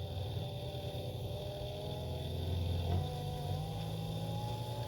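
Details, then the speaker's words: Electric diaphragm oil pump for a turbojet go-kart engine, cleaned and reassembled, then run with the housing off before the first engine start: still no pressure, weak wavering hum that sags then climbs as if trying to come back to life; the pump motor itself has failed. "it's still still no pressure still sounds like doo doo so uh I took the they got the housing off and tried turning the pump on come to find out it's the motor itself is no good"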